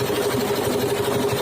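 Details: 12 hp diesel engine checked under load: steady, even beat with a constant hum and no knocks or misses; running smoothly.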